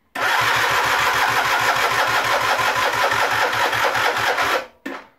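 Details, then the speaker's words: Generic Explorer Race GT 50 scooter that won't start, good spark, compression test while cranking: sluggish uneven starter cranking about three turns a second with soft strokes, only about 4 bar compression and a weakening battery. "die batterie schwächelt auch schon wir kommen auf ca 4 bar was natürlich schon ziemlich schlechtes"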